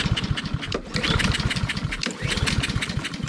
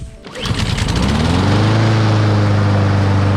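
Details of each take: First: Roadside-found Honda push mower that won't start, pull-cord cranking after the spark plug was regapped: fast, steady cranking chatter with no firing at all. No-start from fuel starvation, a gummed, dry carburetor. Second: Honda lawn mower, roadside find, not old, that would not start; after carburetor cleaning and reassembly it catches quickly and settles into a steady, even drone with no misses or surging: normal running.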